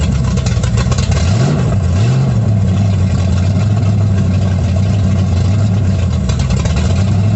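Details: 1937 Dodge Brothers truck with a Holley 650 carb whose bowl is sealed with a modified gasket, no leaks: deep, even note climbing smoothly on two quick throttle blips and settling back steady; normal running.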